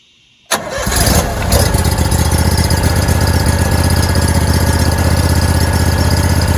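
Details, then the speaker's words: Hot water pressure washer's engine, started with a little throttle and some choke after the new timer and igniter were installed and before the belts go on, fires on the first pull and settles into an even, steady idle with no misses or knocks; normal start. "go ahead and fire up the motor, make sure it's still running properly like it should be."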